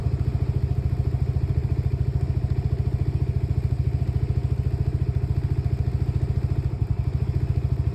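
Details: Lexmoto Nexus 125cc single-cylinder motorcycle: putter at roughly 170 beats a minute with uneven, stumbling firing pulses over a low rumble; misfiring with faulty fuel-air mixture readings, cause unknown.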